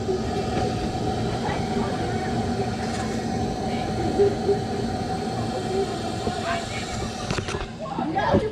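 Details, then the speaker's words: 2008 Toyota Corolla, 172,000 miles, misfiring: steady rushing hiss of air heard through the opened air box, confirming a leaking intake valve on cylinder two. "all right so hopefully you guys heard that uh yeah it's confirmed we have a leaking intake valve for cylinder two"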